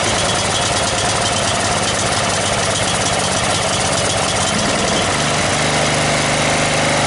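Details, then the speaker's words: Snapper 38-inch riding mower, scrap find, running with a gas leak; constant idle putter, uneven beat but no stalling or heavy knocking; owner plans to check sediment bowl gasket, says it sounded pretty good. Normal idle. "i'll pull that sediment bowl back off and check that gasket and we'll go from there but it sounded pretty good"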